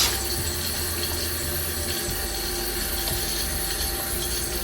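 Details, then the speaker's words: Running toilet with a worn fill valve: constant rushing water with a thin whistle that never shuts off. The tank is overfull and water drips out. The valve was replaced with a Fluidmaster 400A universal fill valve. "As you heard, that toilet was extremely loud. And here I'm getting a feel on how to remove this worn out valve."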